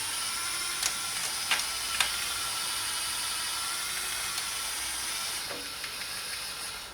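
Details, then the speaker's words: Replacement Hornby model railway turntable powered from spare output of an HM2000 controller at about 3/4 speed; thin mechanical whirr with sharp irregular crunches as it turns all the way round, owner unsure if gear crunching is normal. "but there you go it got all the way around I really really don't like that crunching but maybe that's the way it's supposed to be"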